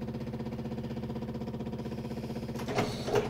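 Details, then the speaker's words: Yamaha G29 golf cart with a faulty pedal start switch, cart stopped: noisy fuel pump and a steady rapid chatter about two and a half beats a second as the bad switch keeps triggering the starter. "you let go of it now and it's going to try to start when before I mean this this switch is so messed up now"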